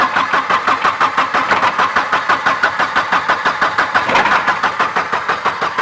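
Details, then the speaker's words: Turbo Volvo 240 drift wagon after fuel pump change, weak battery: starter cranks about three beats a second with uneven shuddering, firing irregularly but not catching; crank no-start with misfire, suspected lost spark, timing off or fuel flooding. "Yeah, I mean it's losing spark somewhere. You can hear it."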